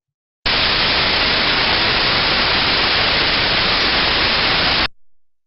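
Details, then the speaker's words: Ultrasound recording of a properly lubricated bearing: smooth, uniform steady hiss with no crackles or clicks. "so again an example of a good pairing word lubrication will be is the higher smooth and uniform sound"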